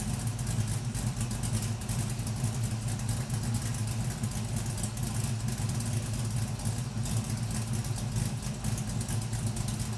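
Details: LS-swapped Camaro V8, first start after installing a new oil pump, fixing the oil pickup tube, a new fuel tank and a finished exhaust: steady even low idle rumble, no knocks or ticks, exhaust quieter; oil pressure still somewhat low.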